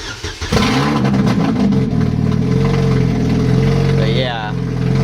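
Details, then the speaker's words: Supercharged Chevy Cobalt SS with a big hole in the stock downpipe, before replacement: starts and settles into a harsh, very loud, blatting idle. Exhaust leak, which also causes misfire. "So I've actually decided to just show you guys real quick how loud it is. I'll just turn it on. You could even hear it in the car. It's super fucking loud."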